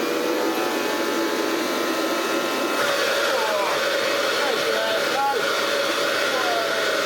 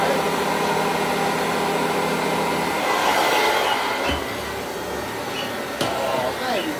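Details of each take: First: Hoover Junior 375 upright, 1950s–60s, stored for decades, run without its belt (the belt wouldn't turn): a steady high motor whine with a choked rush of air. The motor runs well, but the old dust bag is blocking the airflow. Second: Hoover Junior 375 upright, 1950s–60s, stored in a loft for decades, after a bag cleanout, new belt, brush roll bearings and new brushes: a steady motor whir with a soft brushing swish on carpet, no rattles. It vacuums and grooms well.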